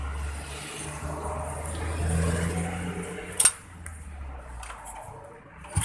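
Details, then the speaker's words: New Tech motorcycle with DC ignition that had misfired and would not rev, after ignition parts checked normal and a battery was fitted: steady low engine hum, throttle lifting smoothly without stumble or misfire; it runs healthy. "Kesimpulannya, jika jenis motor pengapiannya jenis DC, minimal aki untuk penyeimbang, gitu aja."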